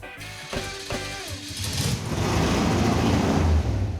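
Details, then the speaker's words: 1970 Dodge Super Bee 440 V8, cold, just revived: a few cranking chugs catch into an uneven, lumpy run that swells and stumbles; over-rich from an E85 tune, runs way better after cutting about 50% of the base fuel map. "This thing was on an E85 tune-up, and E85 requires a lot more fuel than gas, so... We took like 50% of the fuel out of the base fuel map. Bingo, and it runs way better."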